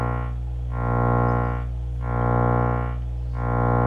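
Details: Miller & Kreisel V-2B powered subwoofer, previously repaired STK power pack: low buzzy drone with a pulsing gritty edge under the bass tone; about 5–10 V AC ripple on the supply from defective main filter capacitors, fixed by replacing them.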